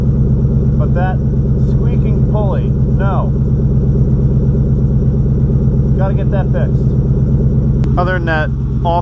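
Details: Pontiac WS6 with stock 5.7 LS1, stock manifolds and downpipes, GM catback, first start after winter storage: steady V8 idle with irregular high chirps about every second from a dry, squeaking belt-drive pulley.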